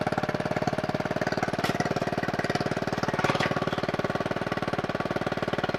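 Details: Scooter-engine reverse trike after years sitting, ignition rewired, oil checked, no coolant in it: steady single-cylinder beat, about three firings a second, even with a couple of light throttle-cable blips; healthy, smooth running.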